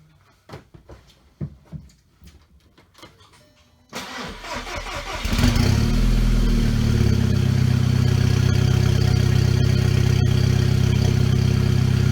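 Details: VW GTI turbo four after forged-internals rebuild, start with new downpipe installed: cranks, catches and settles to a steady even idle around 750 rpm with faint exhaust crackle; check engine light on for a valve broken during reassembly; idle sounds normal.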